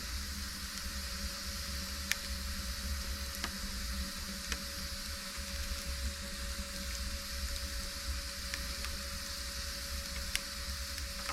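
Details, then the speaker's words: Mimsan 60,000-rated floor-heating boiler, three chimney-cleaner packets just thrown in: soft sizzling with scattered sharp crackles over a faint hum as the packets catch and burn in the firebox, smoke rising from the cartons. "patlama falan olmaz yazıyor ama bakalım bisikleti başladı çıtır başladı Aynen patlak mısır gibi değil de şu tuzu ateşe atarsanız ya aynı o şekilde"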